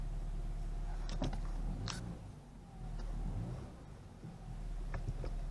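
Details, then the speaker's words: BMW 320i at idle right after replacing the Valvetronic actuator motor and clearing fault codes: quiet, low, even idle hum with no hunting or stumble, a few light clicks around it; idle stable. "Alors déjà, elle démarre au quart de tour, donc ça c'est plutôt une bonne chose. Le ralenti me paraît stable."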